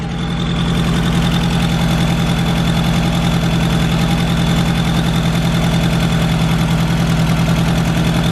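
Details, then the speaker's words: MK1 Golf 1.8T AWD project car, warm-up idle: fast raspy ticking puff on every firing pulse, loudest near the manifold, engine otherwise running pretty good; a really big exhaust leak. "so i have a really big exhaust leak i can't really hear anything else all i hear is that exhaust leak it seems to be running pretty good though"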